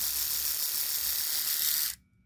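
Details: Braun Oral-B electric toothbrush just after battery replacement with a similar-or-better-capacity cell (old one needed constant recharging): high, even buzz for about two seconds then clean stop; motor strong and steady, oscillation stronger than before.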